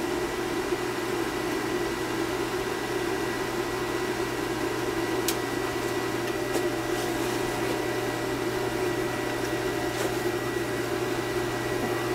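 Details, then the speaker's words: Gas boiler with no heat on the 1st-floor zone, powered up: after about 90 seconds to energize, the power vent kicks in with a steady, even blower hum and airy rush, no rattles or scraping; normal power vent blower operation. "Take 90 seconds for it to energize, and we should hear the power vent to kick in."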